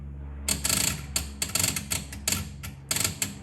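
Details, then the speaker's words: 1976 Bally Flip Flop pinball: the flag one relay chatters in bursts of uneven metallic clicks when the playfield is vibrated or its small switch moves, caused by that misadjusted switch. "Well, I've done some looking around and the relay that's doing that is the one responsible for flag one. And the reason it's clicking like that is because of this little switch right here."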